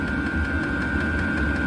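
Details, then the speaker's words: Chinese diesel air heater in a cold knife shop, running on its highest setting (5.4); steady fan whine and burner rumble with faint rapid fuel pump ticks mostly buried, much quieter than the lowest setting; normal running. "with the more rapid ticking succession you don't hear it as much so running this on high although it's not going to be as energy efficient you really don't hear the noise is bad"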